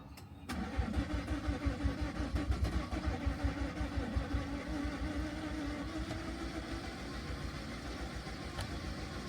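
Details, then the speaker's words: Car just fitted with a new belt after alternator work, jump-started on a flat battery: the engine spins quickly and evenly on the starter, about three beats a second, but never fires; the timing belt is suspected to have snapped, bits visible below. "That doesn't sound good. Oh dear. Oh dear, oh dear."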